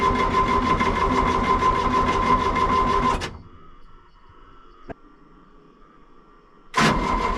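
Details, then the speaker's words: Excavator left sitting a couple of months: starter turns about three times a second with no firing or smoke, pauses, cranks again; no start, suspected seized engine stop motor holding the injection-pump fuel lever shut; system also lost prime. "But we think the problem now is the engine stop motor, which controls this lever down here. It shuts the fuel off at the injection pump and the motor just stopped."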